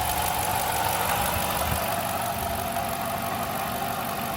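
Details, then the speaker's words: 2008 Dodge Charger idling: a rough, uneven grinding, metallic rasp that gets louder with each start, with injector ticking also audible. Owner suspects a failing timing chain tensioner letting the chain flop inside the timing cover; belt pulley or water pump also considered. "but that grinding noise is not normal and I [Applause] believe that it's coming from right down in here I believe that is inside the time cover and I think the timing chain tensioner is malfunctioning and the timing chain is flopping"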